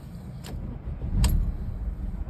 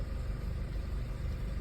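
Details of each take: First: Audi A4 with rough idle and stalling, warm after highway drive: uneven sagging idle that stumbles, surges and nearly stalls, then cuts off; cause unknown, worse after hard throttle. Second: Audi A4 with intermittent rough idle and stalling, many parts already changed without fix: low steady rumble with even beat, no stumbles; idling smoothly for now, cause still unknown.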